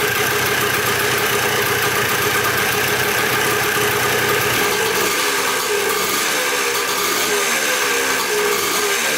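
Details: Dirt bike bought in a four-bike lot, first start after checking the petcock and carburetor and refitting the spark plug: a light, buzzy two-stroke with a steady crackle and small throttle changes; normal idle.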